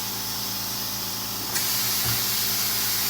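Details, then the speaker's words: Meyer ice cream machine, switch moved from off to retract to replace an empty bag: a steady airy hiss that grows louder and brighter, with a faint click. This is the normal vacuum drawing the cylinder down before it is pulled forward. "At that point, you will hear the air vacuum the cylinder down."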